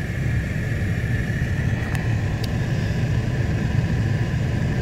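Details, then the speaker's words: 2014 Ford F-150 XLT 3.5L with complaint of blower motor stuck on high, head unit ruled out; blower pulse width raised to maximum speed, drawing about 20 amps: steady even rush of air, constant mid-pitched hum, no rubbing, ticking or wobble. Normal blower operation at maximum speed. "now i'm gonna increase the pulse width by just bringing up the speed and you'll see as i bring it up that on time and that's max right there guys"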